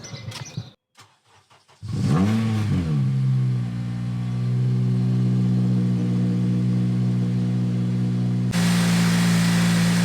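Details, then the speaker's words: Honda Civic Type R after exhaust work and added cat: cranks, catches and settles into a steady, deep, booming idle; exhaust still much louder than stock, barely quieter than before. "okay so this is the second time recording this because the sound failed on the first one but we don't actually think it's much quieter than it was before"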